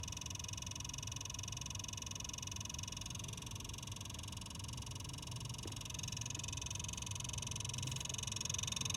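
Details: Newly bought Xbox Series S making a fast, fairly even ticking about four a second over a steady electronic whine and low hum, starting after 10 minutes of playing.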